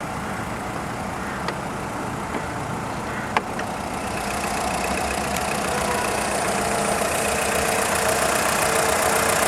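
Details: VW Polo 6N2 1.4i 16V petrol: light, quick ticking of three or four clicks a second from the engine block at idle, which stops when accelerating; the engine revs well with strong engine braking; cause unknown.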